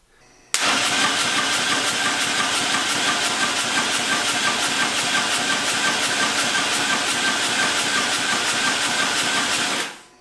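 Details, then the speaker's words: Turbo EFI lawn mower, start attempt with fuel pressure present: fast, even cranking at about three turns a second for nine seconds that never fires. Cranks but no start, cause not found. "no we have pressure but it just didn't fire"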